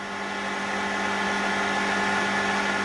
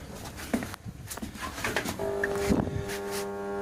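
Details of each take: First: Grundfos MQ3-35 domestic water pump after replacing the start/run capacitor and reassembling: smooth steady hum with an even whirr, no hesitation or labouring, motor now kicks in immediately on pressure drop; running normally. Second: Grundfos MQ3-35 domestic water pressure pump, split-phase motor switched on: steady low hum holds while pump never picks up speed; motor stalled by failed start capacitor, initially mistaken for locked rotor.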